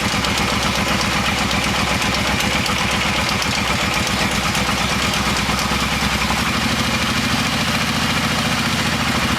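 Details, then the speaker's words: Kawasaki Brute Force ATV after motor reassembly (650cc bottom end, 750cc cylinders), first start with a little choke: steady, even V-twin idle with regular exhaust pulses, quiet, no ticking or rattling; running smooth. "There you go. Fired up. I don't really know what it sounds like on the camera, but it's pretty quiet here. No ticking, no rattling. Sounds like it's running smooth."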